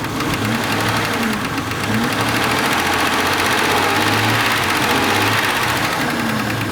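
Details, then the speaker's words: Jeep Grand Cherokee 4.0 L inline-six with over 200,000 miles at idle: light, quick ticking of about three ticks a second, first judged valve-train noise, found to be a noisy fuel injector. "you hear the engine ticking now that ticking noise you hear is internal to the engine now it's not rod knock because if the Piston rods are knocking when you rubbed it up it'll go and it is it's a valve train noise"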